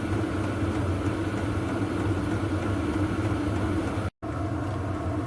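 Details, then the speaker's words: VEVOR 8kW diesel heater on auto mode, 54°C outlet air, heating uninsulated workshop: steady combustion roar and fan hum, no surging or misfiring; burning cleanly, normal running. "it's running really well and putting out plenty of heat yeah that's good so that go a long way to warming up the workshop"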